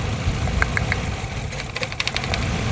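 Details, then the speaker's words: Nissan Silvia S13 CA18DET idle with one spark plug lead pulled: the idle gets rougher and lumpier, so that cylinder was firing. The misfire remains in cylinder 3, and the coil packs are shown to be fine. "so there we go so there is a difference in the engine noise so the misfire is not on this cylinder"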